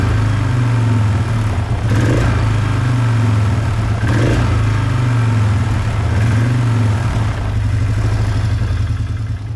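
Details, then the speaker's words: 2005 Polaris Trail Boss 330 that hasn't run in years, restarted with airbox reinstalled after spraying at a suspected intake boot air leak: idle surges and sags, hunting, suggesting the mixture screw is not controlling idle; unstable idle from intake air leak. "let's see how it runs see if it still crackles and coughs a little bit at an idle the idle is hanging around and that's an indicator of either your idle is set too high so your your mixture grew is not controlling the idle"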